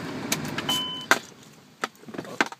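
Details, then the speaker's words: Chrysler Pacifica no-start with a good battery: turning the key gives only a few sharp single clicks from the starter and no cranking, caused by corroded factory engine grounds; fixed by adding an engine-to-battery ground, which also restored the blower motor. "so put it in turn it to start and you get just a click from the starter and you know that your battery is good"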